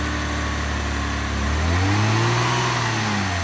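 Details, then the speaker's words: Mitsubishi FTO just revived after repairs, throttle blips from idle: faint rubbing rising with revs after an initial belt squeal; belt tension dropped after working, so it rubs again, possibly a slack belt. "Is it meant to make that noise? So it worked, but then the tension kind of went down and now it's rubbing again."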